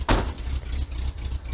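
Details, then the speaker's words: 1980 Ford F150 351M V8 on a cold day: deep, even, lumpy rumble holding a steady rhythm after a brief knock at the start; owner says it always sounds like this; normal idle. "it sounds pretty mean you can if you can hear it's got the big block in it that's pretty much what it sounds like all the time"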